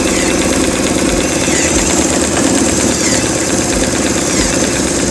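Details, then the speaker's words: BMW R1150RT with the engine idling and the brake applied after a braided brake hose upgrade and full bleed: a steady, even whirring buzz from the ABS servo pump, operating normally. "i'm going to apply the break just about here the pump working"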